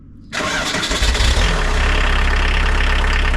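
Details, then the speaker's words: VW T25 with a 1900 diesel engine swap, starting after the swap with a glow-plug cold-start relay. Catches almost instantly and settles straight into a steady, even idle with no stumbling; a clean, healthy cold start. "it starts so much better um then quick roads the glow plugs are so much better on the more modern engines"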